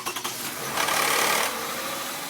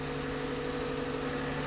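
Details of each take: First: 2009 Toyota Highlander 3.5L V6 2GR-FE, cold start: harsh metallic rattle lasting a second or two after firing, then fading; known VVT gear rattle on cold start, gears to be replaced with engine removed. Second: Toyota 2GR-FE 3.5L V6 at its first cold start after a rebuild (head gaskets, VVT gears, oil leaks): steady smooth idle with a faint lifter tick and slight rumble, normal after the lifters are removed; expected to fade once warm.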